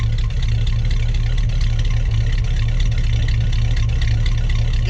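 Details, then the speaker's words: 1956 Pontiac run for the first time in 30–40 years, heard from behind at the exhaust. Early smoke has cleared and it gets a little throttle. A deep, even V8 rumble with a steady beat and no knocks or misses: normal running. "let's see if I can get it from behind and see what it sounds like oh shoot sound pretty good smoke cleared up give it a little"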